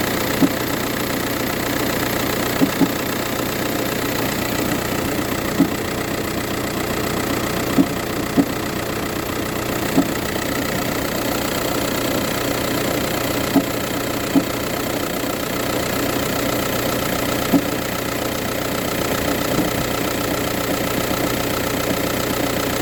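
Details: VW Touran 1.9 TDI diesel at cold idle, morning only: steady idle with sharp, uneven knocks about every two seconds; no issues when driving or changing gears.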